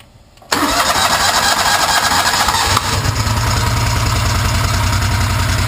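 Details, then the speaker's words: 2006 John Deere Gator 620i start after fuel pump replacement; engine catches at once and settles to steady even idle, no whine or buzz from the fuel pump; normal start. "that was pretty easy sound pretty quiet that's what it's looking for"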